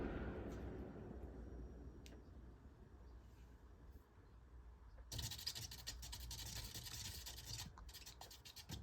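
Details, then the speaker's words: Early-2000s Holmes box fan HABF-25, dusty, switched off and coasting down; dry uneven scratching as fan hub grinds against the grille, also happens on high; hub scraping grille. "And the problems I had with this fan while I was operating is that the grill grinds up against the hub. Like, I'm pushing it in, barely pushing it in, it's grinding up against the grill."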